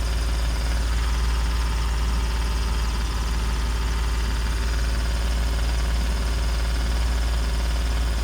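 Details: 2017 Ford F-150 idling: steady low rumble with a fast, fairly even puffing tick about three per second, typical of an exhaust leak.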